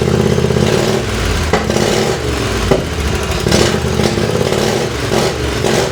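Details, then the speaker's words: Lawnmower-based race tractor single on its second run, exhaust fitted with homemade drilled baffles: sharp, barking exhaust that stays loud through each throttle blip; better than before but still too loud. "Uh the exhaust sounds better, but I think it's still too loud. It does sound better."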